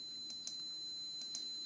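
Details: Lagoon 380 catamaran whose batteries aren't holding charge: steady high tone with two short chirps about a second apart; an electrical warning alarm, cause unclear.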